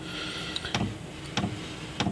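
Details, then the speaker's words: Chinese 5 kW diesel air heater in a motorhome, mic very close to the burner unit, normal pre-start purge: steady low fan whir with faint hum and regular ticks. "The camera is very close to the burner unit, so you'll hear the changes in the fan as they happen."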